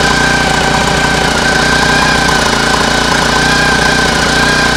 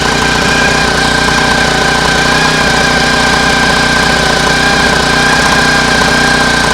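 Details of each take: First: Homemade air-cooled outboard built from a lawn mower engine, run out of water at cruising throttle: steady even drone over loud prop water splashing, no knock standing out; owner notes occasional slight misfire and fears howling may be bearings. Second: Homemade air-cooled outboard built from a lawn mower engine, at cruising throttle: steady single-cylinder drone with a faint high howl and occasional stumble; intermittent misfire, owner fears the howl is bearings.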